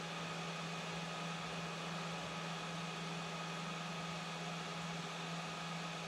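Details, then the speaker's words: Small fan with broken blade replaced by a 3D-printed one, run from the printer at manually adjusted speeds: smooth steady hum with even airflow hiss, little rattle; works as before, only slightly off balance, may need more clearance. "I'm manually adjusting some of the speeds to try to show off that everything works just like it did before"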